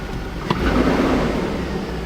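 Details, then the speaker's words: Chevy Tahoe 5.3 V8, first start after months sitting and a new starter: steady quiet low rumble with a brief throttle blip, even firing, no knocks or ticks, slight smoke; gauges not working. Normal running after start. "sounds good oh my gosh it started hold on i gotta see this"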